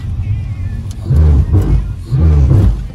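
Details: Ford Fusion under hard braking at low speed: low droning groan bursts swell and fade over the engine. The noise is suspected to come from the ABS pump, and the scanner shows no ABS or pump fault codes. This is a noise when braking hard.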